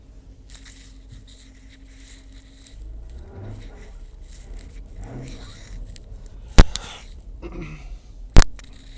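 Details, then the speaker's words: 2017 Jeep Grand Cherokee SRT makes low drawn-out creaks, scraping groans and sharp clicks from the rear passenger side every time it turns left or right; cause undiagnosed, awaiting dealership. "I have a 2017 Jeep Grand Cherokee x40 and it's making a noise in the back every time I turn cannot tie"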